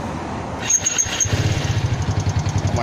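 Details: Motorcycle after repair of a scuffed piston caused by a timing-chain-side oil leak and lean carb tune with aftermarket exhaust: steady even low-thump idle with no knocking or rattling.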